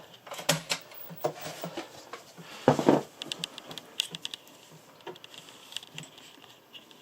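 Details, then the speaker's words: Amiga 1200 floppy drive trying to load Project X: irregular bursts of sharp clicks and ticks; owner suspects game may need CPU caches disabled, cause unconfirmed. "oh my sounds I'm not sure whether the 1200 actually plays Project X actually this might be one of those ones where CPU caches have to be disabled or what have you because this doesn't sound good to me"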